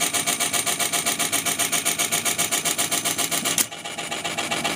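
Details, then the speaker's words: Sony TC-252D stereo tape deck reel mechanism turning: quick regular scraping swish about four times a second; suspected lack of lubrication or a part hitting something, heard in play but not other modes, cause not confirmed. "there's some lubrication needed there somewhere obviously so I don't know it could be hitting something also"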